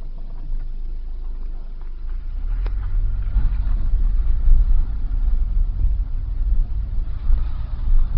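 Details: 2001 Nissan Sentra SE 2.0 petrol engine idles with an uneven, lumpy rumble; replacing the fuel pump helped a little, and replacing the weak mass airflow sensor fixed it.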